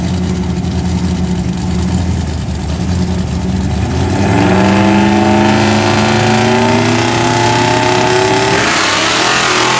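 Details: Big block V8 idles with rough rapid ticking, then revs hard with clear internal tapping that worsens, heard in a race run despite fine oil pressure; the engine blew up.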